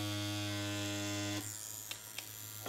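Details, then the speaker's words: Primus direct-drive rotary tattoo machine at about 4–6 volts, no other adjustment: even steady buzz at one pitch for over a second, then switches off cleanly; smooth, stable, healthy motor. "voilà en tout cas un primus franchement elle marche super bien elle trace des traits de dengue"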